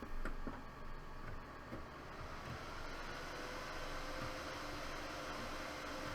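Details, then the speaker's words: Dell desktop with no video, CMOS cleared and RAM removed, powered on: handling clicks, then CPU fan roars at 100% speed with steady hum and no POST beep codes. "And we're getting 100% CPU fan, and we are"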